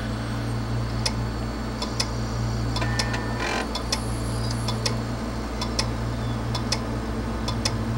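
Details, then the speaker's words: 80 GB Western Digital hard drive: sharp metallic clicks, often in pairs, about two a second over a low spinning hum. It spins down slightly, then back up and clicks again. Diagnosed failed read/write heads, needing a head swap. "you hear that steady clicking and what these drives will typically do is they'll power down it'll spin down just a little bit after a few clicks and then spin back up and start clicking again"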